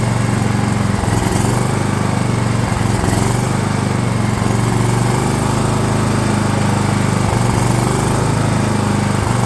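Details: DR all-terrain mower, Kawasaki FV420V engine after years sitting, fuel lines leaking: rough, uneven running with irregular dips and no steady idle; owner thinks it's flooding, later finds badly dirty carb bowl.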